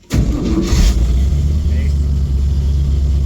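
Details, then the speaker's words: 1959 GMC pickup, first start before its first drive in years after the transfer case was relocated: a brief crank, catches almost at once, then holds a steady idle the owner finds a tad high; a prompt, healthy start. "fires right up probably need to play at the a a little bit it is a tad high"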